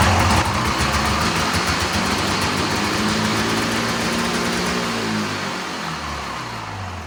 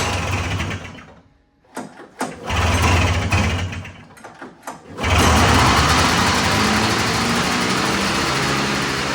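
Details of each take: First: Old Arctic Cat snowmobile with swapped-in fan-cooled two-stroke, idle screw turned down about half a turn after it revved too high: fires, buzzes high briefly, then settles to a steady lower idle; idle now set right. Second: Old Arctic Cat snowmobile with a swapped-in fan-cooled two-stroke, carb screws preset at 1.5 turns: after a few stumbling catches it holds a fast, buzzy, steady idle; idling too high, so the idle screw was backed off about half a turn.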